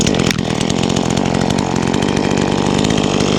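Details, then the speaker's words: New V-Modest 2511 top-handle chainsaw (Echo 2511 clone), cutting a limb on its first use after the low jet was set. Crisp, steady high-revving buzz that holds speed in the cut without bogging or surging. Normal running under load. "Really well. I think I got the low jet set pretty good on this thing."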